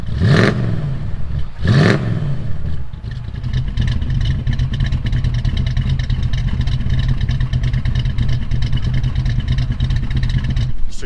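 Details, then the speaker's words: Dad's 1936 Dodge: a couple of quick revs, then a deep, steady idle with a gentle cam lope; sounds healthy though a slight vibration remains somewhere in the motor. "hear the cam very well and now that this motor is working almost a 1a granite we still have that little bit of a vibration in it everything works great"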